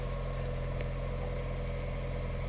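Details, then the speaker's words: MG EHS plug-in hybrid, 13,000 km, running after a dead 12V battery was jump-started, heating on and air conditioning off: quiet, steady low hum at idle, even and unchanging with no misses or rattles. The car runs normally again. "et on fait ici comme ça on va laisser tourner donc là ça fonctionne"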